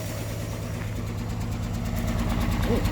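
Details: 1964 Olson Kurbside step van, 223 inline-six Ford, first start after 29 years on fresh fuel with choke held, borrowed battery: deep low idle around three pulses a second with an uneven, lumpy beat; runs but roughly.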